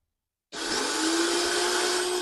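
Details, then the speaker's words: Chevy Tahoe sitting for months, diagnosed for no start: a sudden high-pitched steady whir with no engine catching, the starter just spins without engaging the flywheel. The starter is to be replaced first. "next. Okay. And that starter right there, that starter is making noise. It just spins."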